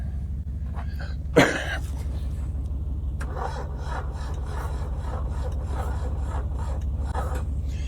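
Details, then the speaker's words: 1981 Chevrolet Chevette jumped from a Dodge truck with unknown found cables: low, labored drone, slow uneven cranking about three pulses a second, too slow to fire. "All right, that's not going to turn fast enough to do much of anything with these cables are kind of unknown."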